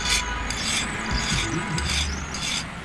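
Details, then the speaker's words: Orient ceiling fan: dry, gritty, irregular rasp over the running fan from worn, dry bearings; fix is replacing both bearings (SKF). "और ये पंखा है और इसके देखिए बैरिंग की आवाज़ कर रही है।"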